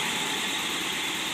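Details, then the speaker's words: 1955 Ford Thunderbird Y-block V8 on a test stand, not yet warm, about 1000 rpm: steady, even hum, no misses or knocks, no smoke; charging just under 15 V, oil pressure 42.5, steady 20 vacuum; normal idle. "can see motor runs smooth without any smoke"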